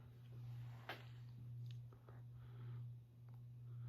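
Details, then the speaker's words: 1986 CEI Hugger HC-52 52" ceiling fan on low speed: a steady low hum swelling gently about once a second, with no grinding. It hangs slightly askew and jerks because the mount is missing its isolation piece. Normal operation. "But pretty nice low speed here."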